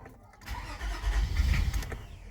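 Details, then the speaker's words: 2005 Toyota Highlander parked about a month, rat droppings found, battery replaced after going dead: starter cranks steadily about two seconds but engine never fires; crank no start, no codes. "let me show you guys what it does when you try to start it if we try to crank it now you see that that's what it does see"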